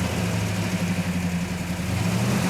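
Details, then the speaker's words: 1967 Plymouth GTX Hemi convertible, restored with original engine untouched, first start after assembly: deep, even V8 burble at idle with a smooth steady beat, no tapping or misses; engine runs really good, normal idle. "On the engine portion of it, that thing ran really good."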